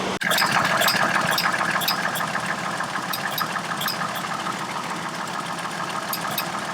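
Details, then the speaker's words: Chevrolet Trailblazer with a fairly new aftermarket electronic fan clutch at idle: sharp light ticks about three a second, sometimes worse, sometimes constant. The clutch needs programming. Aftermarket electronic fan clutch clicking. "on my trailblazer that i'm currently driving i have the fan going click click click"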